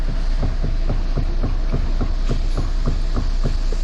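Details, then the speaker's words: Renault Kangoo 3 at 242,000 km: dull knocks three to four times a second over a low hum while turning the steering wheel, from a completely worn-out steering box that is to be replaced. "Direksiyonu çevirirken tak tuk ses yapıyor."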